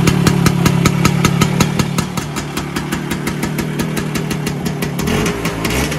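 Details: Vespa PX 125 with 177 kit, restored engine (new bearings, gaskets, piston, rings, lapped cylinder, first-gear parts), first start after a year on 2.5% mix. Steady, even putter with regular firing pulses, no knocks or misses. Normal idle.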